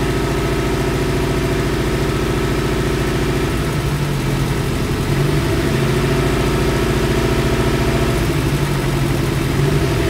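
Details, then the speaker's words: Idling four-cylinder engine with an uneven, lumpy beat and no balance: one cylinder is misfiring, giving a rough idle with P030x misfire codes; ignition coils are being unplugged to find the cylinder. "when you listen to the car you can hear the engine is not in balance right now"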